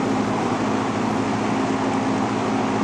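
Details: Vintage McGraw Edison Zero box fan, around 1970s, freshly cleaned and oiled front and back, running on low: steady, even rush of air with a faint constant low hum, no rattle or scrape; motor runs smoothly.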